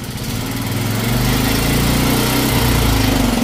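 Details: Honda small engine started after sitting at least a year, with oil added into the carburetor: buzzing along at a fast, fairly even beat, settling a touch after a second; running fine after the long storage.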